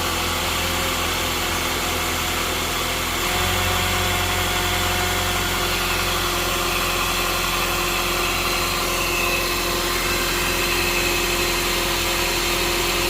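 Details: 2022+ Honda Civic 2.0L LX after removing debris behind crank pulley and fitting a new serpentine belt, restarted with belt on to check for earlier noise: steady, smooth idle hum, no rattle or knock. Normal idle.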